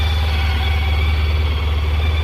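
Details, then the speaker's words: Honda ST1300 after new battery, ABS light still blinking while riding: smooth, deep, even rumble with no knocks, ticks or misses over the short run; engine sounds healthy. "yeah it sounds really good [Music] though all right cool"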